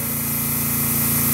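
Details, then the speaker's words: Small air diaphragm pump on an OX Tool 2L coolant dispenser, heard in the background: a quiet, fast, even pulsing hum under a soft air hiss as air comes from the valve. No knocks or rattles; it is running normally. "you can hear it in the background back there and it's not particularly loud"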